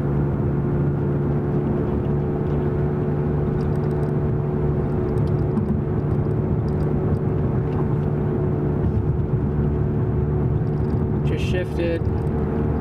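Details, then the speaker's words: Dodge Dart, inside the cabin at a constant 55 mph on a quiet road: steady low hum and whir, unchanged by shifting since it follows wheel speed; worn rear wheel bearing, probably right side. "no change in noise because it's tied to wheel speed not engine speed"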